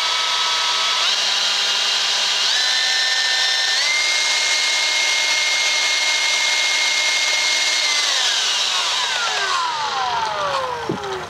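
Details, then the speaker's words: DeWalt DCBL720P1 20V cordless handheld leaf blower: steady airy rush with a clean whine rising in pitch as the speed lever opens from low, then winding down smoothly; normal. "if you just operate the trigger by your fingers here but it was blowing in low you can hear it going higher and higher"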